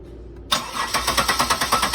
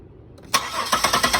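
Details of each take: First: 2000 Buick LeSabre cranks evenly, about seven pulses a second, but won't start because the crankshaft position sensor signal wire is shorted to ground through a test light. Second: 2000 Buick LeSabre cranking and starting normally after a shorted crankshaft position sensor signal is released: quiet, then a sharp catch and evenly spaced firing pulses settling into idle.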